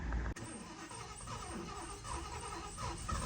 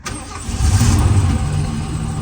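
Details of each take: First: 1977 Lincoln (Mark V) first start after about 3 years in storage, new fuel filter, two-stroke mix poured into the carb: starts right up after quick crank but runs rough and uneven, only on poured fuel; fuel starvation, likely out of gas. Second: 1977 Lincoln (Mark V/Continental) V8 started after about 3 years in storage, with the fuel filter replaced and two-stroke premix poured into the carb: cranks and catches within half a second, swells, then settles into a steady, even idle. Normal quick start.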